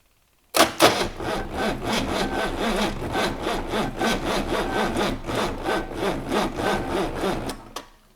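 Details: 6.2 L GMC V8 diesel unstarted for 15-20 years, glow-plug heat on: laboured cranking at about four even compression pulses a second that never catches; starter dragging on 12 volts, not enough voltage to crank fast enough.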